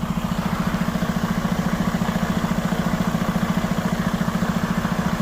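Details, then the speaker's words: Freightliner truck just back from the dealer, diesel idling while the air compressor fills the tank: steady hollow chuffing about three and a half beats a second that stops once the tank is full; air escaping from a disconnected hose. "It's like a hollowed out sound. I noticed that every time when the air compressor, listen."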